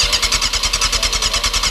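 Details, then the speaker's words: Honda CBR 500cc motorcycle, previously dropped, with a faulty throttle so needing choke and fuel level unchecked; lumpy uneven loping idle about eight beats a second on choke; rough idle, owner thinks it is running a little rich. "Sounds like she's running a little bit rich at the moment."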